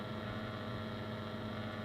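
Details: 1950s Ferranti A1016 three-band valve radio powered up at 240 V: a low, steady mains hum with no station, which is attributed to old capacitors.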